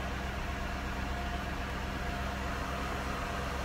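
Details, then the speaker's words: Cadillac DeVille Northstar just after alternator replacement and battery recharge: steady even idle with a faint constant alternator whine, no knocks or misses; alternator charging, voltage slightly high on a dead battery; normal idle. "i can actually hear the alternator winding so it tells me it's charging"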